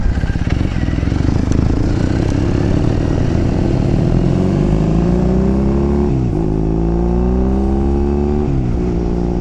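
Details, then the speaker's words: 2014 Triumph Thruxton 900 riding with new EMGO pipes and wrapped headers. A deep twin note climbs smoothly through the gears with clean shift dips and no popping or rattle; much quieter and better sounding. "much quieter all that sounds so much better"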